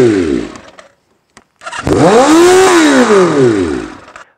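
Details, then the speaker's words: 1983 Kawasaki GPZ550 four-cylinder garage find with pod filters revs on its own to about 6,000 rpm at idle, screaming up and dropping back. Owner suspects the pod filters or improper jetting by a previous owner; not confirmed. "so that last scene there we had the bike running and it was revving up to about 6,000 rpms at idle not so good"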